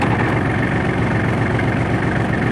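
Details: Kubota L3830 diesel tractor after ignition switch replacement fixed a no-start with dash cutting out while cranking: steady, even low chug with no misses or knocks; healthy idle.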